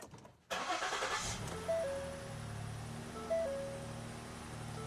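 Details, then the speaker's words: 2015 Ford Explorer started after a repair for a Low Engine Oil Pressure warning: the engine catches and idles, then a two-note chime repeats about every 1.5 seconds; low fuel warning chime. "so far it's not. That's the low fuel, I know."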